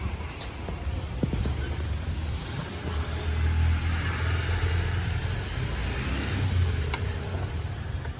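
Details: Yamaha YZF-R6 after engine repair and timing (cam chain) setup: deep, steady engine rumble rising and falling slightly with the throttle, with no ticking or rattle; normal, healthy running.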